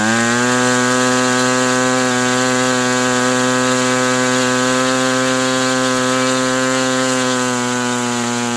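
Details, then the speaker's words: New OS 120 AX RC model engine, break-in first runs, hand-started on test stand: steady high-pitched buzz holding one even note, no misses or sag; running clean, tuned close. "But this is a very nice engine. Very nice. And it's tuned pretty darn close."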